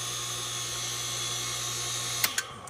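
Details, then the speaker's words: Newly installed Aquastrong 1.5 hp 230 V pool pump after plumbing leak fix: constant electric hum much louder than normal with a thin high whine; owner suspects brushes shifted when moving the motor; impeller also found cracked. "there is that loud humming noise that uh is going on um you can hear it pretty easily that's much louder than normal"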